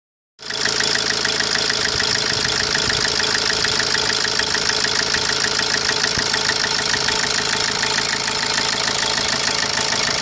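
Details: 2010 Opel Corsa D 1.3 CDTI diesel at idle: sharp regular metallic tick about three times a second over the engine note; owner reports blue smoke on cold morning starts but no loss of pulling power; knock cause unknown.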